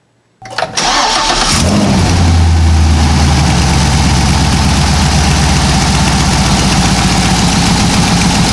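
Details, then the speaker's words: Cadillac CTS-V LS V8 with long-tube headers and broken header bolt, clamp bracket being tightened while running: fast lumpy idle with sharp ticking puff on exhaust; exhaust header leak, tone changing as it seals. "Hope you guys heard that. There was definitely a tone change, and I'm listening, trying to listen very closely here."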